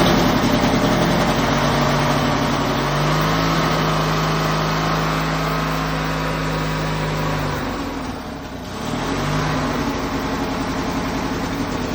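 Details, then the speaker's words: Ranch King riding lawn mower, just after battery jump and plug wire reattached: idle hunts up and down, sags and recovers, won't settle; owner suspects it needs a carburetor rebuild or clean. "Um I did have an issue where I think it needs a carb rebuild or carb clean and the idle was funny."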